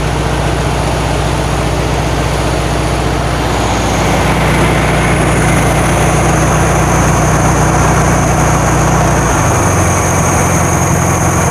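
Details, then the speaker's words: 1972 VW Karmann Ghia air-cooled engine first run after sitting for years, valves not adjusted; loud throaty idle with low beat that wavers slightly, runs fine but a bit lumpy. "sounds good it's a little jumpy we haven't done any valves or anything"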